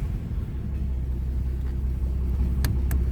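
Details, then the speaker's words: 1946 Plymouth Special De Luxe inline engine, warm from indoor storage, started without choke via starter button with electric fuel pump: low, even, smooth healthy idle with no knocks or misses. "Car was indoors and warm. Wouldn't need to be choked, so I didn't need to do that. Just fired it right up."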